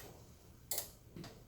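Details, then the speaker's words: Kenmore/Frigidaire range, self-clean not locking door: two crisp clicks half a second apart as the control board relay for the door lock motor energizes on pressing Start; lock motor not locking. Door lock relay click. "did you guys hear the clinking mm-hmm what was that she just you know is what really relay where it relays on the board and these black boxes here are all relays on the board"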